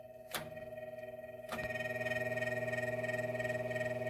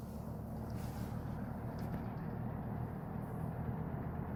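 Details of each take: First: GE W-25 electric fan after maintenance and a new cord, run without its blade: a steady motor hum with a faint rhythmic pulsing flutter. It is noisier than it should be; the cause is not yet found. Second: GE W-25 electric fan, reassembled with its plastic blade after maintenance and a new cord: a steady low whooshing drone with an even tone and no rattles or scraping. The fan runs smoothly.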